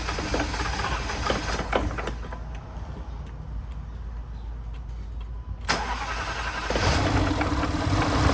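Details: 2010 Jaguar XFR V8 after new spark plugs, ignition coils, fuel injectors and an oil change: cranks, catches and settles into a steady, even idle with no misfire or stumble, smoking as expected from fuel left in the exhaust.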